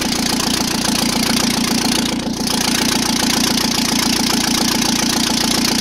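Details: Engine run without turbocharger, exhaust manifold, most sensors or cooling system: loud raw crackle from open exhaust ports over steady idle; pulses even, exhaust felt at each cylinder equal, repair successful, all cylinders firing evenly.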